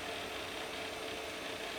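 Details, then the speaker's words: Pentium Pro PC's hard drive during setup while converting the FAT file system to NTFS: fast, fine clicking ticks under a steady hiss. This is normal busy seek activity. "Might be able to hear it clicking away in the background there."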